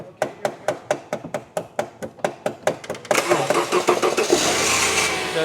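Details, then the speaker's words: 2006 Subaru Outback 3.0 H6, no-start with lights and windows working: slow, labored cranking at about two beats a second, turning over only after the starter was struck with pliers, then the engine catches and runs; failing starter motor. "so the starter may just be shot give the starter a little whack if we can get to it"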